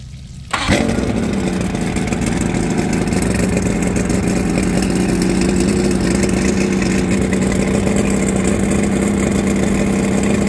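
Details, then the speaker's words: Mercury 150 hp outboard, 120 psi compression all six, after new spark plugs, at full throttle: strong steady drone with no misses yet tops out under 2500 rpm; owner suspects timing, wear or bad reeds. Low power at full throttle. "well although it sounds good sounds good it's it's the same we're making very close to the same amount of power we're coming in under under 2500"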